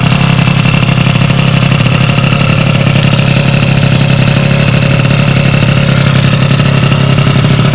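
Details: Sym DD50 scooter with a Polini Corsa Mini two-stroke build, after small faults fixed and jetting set: crisp, even idle with steady buzz, picks up cleanly when revved; normal idle and revving.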